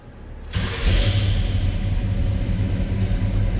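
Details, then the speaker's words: 1972 Chevrolet K20 Cheyenne Super 4x4, big-block V8 with true dual exhaust and X-pipe, cold start: starter catches quickly, then a deep, steady, even idle with no knocks or misses; fires up easily, sounds healthy. "That fires up easily. Sounds good too."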